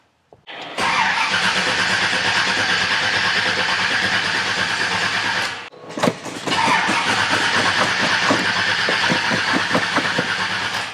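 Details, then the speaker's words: 1989 Chevy Silverado, blown big-block 454 with dual carbs: two long cranking bursts, even beats about twice a second, never catches; sounds fuel-starved, with the accelerator pumps suspected of not squirting fuel. "but in all reality i think the accelerator pumps aren't working so it's not squirting any fuel in it as we're hitting the pedal so i think that's what's going on with it"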